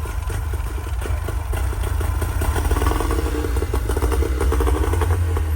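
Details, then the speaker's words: Two-stroke Tohatsu outboard just after a new carburetor, fuel pump, fuel filter and fuel lines were fitted: it buzzes along at a low idle with a slightly uneven, rough beat; it runs, but the idle screw needs adjusting. "Look at that. Not bad. There you go. Show this again. You got to adjust your idle."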